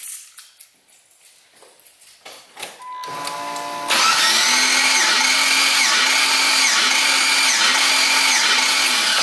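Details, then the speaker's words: Cranking during compression test, all plugs out, coil and injector harness unplugged, throttle held open: steady starter whirr with even pulse about twice a second; cylinder 1 reads 150, healthy compression. "cylinder 1 is 150 I'll just repeat the same with all the other ones this tester normally reads around 150 160"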